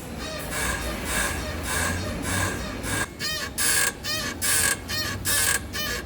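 Repeated squeaky creaks, about one a second, as the steering moves: a worn front lower ball joint.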